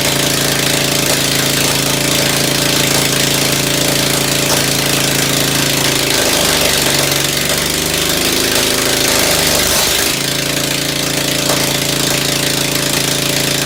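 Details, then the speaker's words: Ford engine just reassembled after tune-up, muffler removed, first carburetor tuning with only the high-speed needle set: steady open-exhaust running, then uneven stumbles and pops as speed drops; owner suspects low-speed mixture too lean. "That's why it's running like crap down at low speed, because I think the low speed is too lean yet. That's why it's popping and carrying on."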